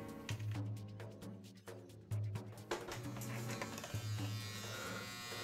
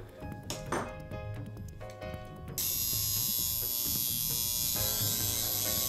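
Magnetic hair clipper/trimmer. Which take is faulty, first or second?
second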